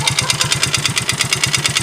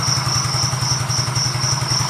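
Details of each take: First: Yamaha Mio GT FI scooter that once ran nearly out of oil, down to a quarter of a small glass: rough idle with a hard metallic knock about nine times a second; engine knock from oil starvation. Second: Yamaha Mio GT FI scooter after engine repair for rough running: even, steady idle beat with no knocking or rattling; worn CVT parts (bosh/roller) still make it slightly rough.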